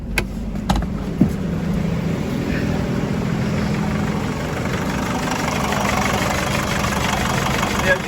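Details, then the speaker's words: 2007 Nissan X-Trail diesel after timing chain replacement for hard starting, EGR valve refitted, no fault codes: a few clicks, then a quick, speedy start settling into a steady, even idle with no rattle; normal idle. "valve back together again connected up and engine back running and sounding nicer than it did yesterday before we done the [Music] chain"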